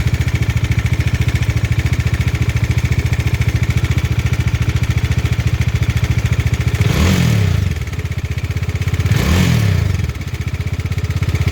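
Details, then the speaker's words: Bajaj Dominar 400 at idle before tensioner replacement: busy fast ticking clatter about two per second, persisting through two short throttle blips; worn cam chain tensioner with excessive play letting the chain slap, cured by a new tensioner. "Tensioner बदलवाने से पहले की engine noise."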